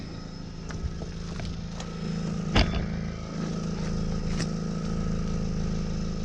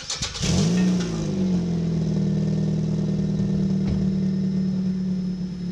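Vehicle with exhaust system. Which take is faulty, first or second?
first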